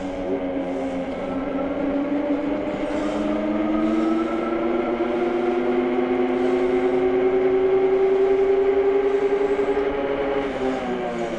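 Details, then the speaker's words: AKEZ fat e-bike (Super 73 clone), hub motor at 100% throttle while riding: steady smooth whine, pitch creeping up with speed, no surging or hopping; hub motor running normally. "absolutely no hopping the motor is nice and smooth"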